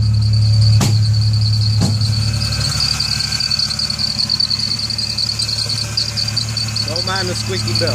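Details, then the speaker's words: 1998 Ford Ranger 3.0 that backfires on starting and hesitates badly in gear. Lumpy idle with uneven stumbles about four a second and a belt squeal on top. Bad misfire, cause unknown. "1998 Ford Ranger 3.0 I'm having issues with backfiring upon starting and a very bad misfire"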